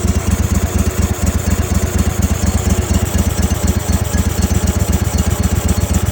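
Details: Kohler 25 hp engine, smoking with oil from the exhaust, carb soaked with Sea Foam and carb cleaner: heavy, uneven thumping about four beats a second, struggling; rough running, cause unconfirmed.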